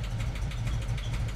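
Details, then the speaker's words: 1988 VW Vanagon just after replacing clogged mid-pipe, catalytic converter and muffler: quieter but low lumpy idle that stumbles, whole engine shaking; misfiring, cause not yet known, spark plugs considered. "it's definitely misfiring a bit it's quieter obviously quieter"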